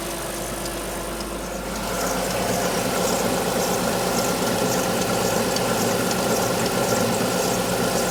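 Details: Alfa Romeo 156 V6 in for timing belt replacement, cold start: fast light ticking over a busy idle, clearer once revs settle; two distinct abnormal noises heard only cold, not noticed warm on arrival, origin unknown.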